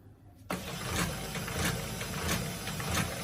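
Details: HP LaserJet P1102w with a paper pickup problem, at power-on: a motor whirs and the pickup tray mechanism clacks up and down about every half second; the fault lies on the printer's right side.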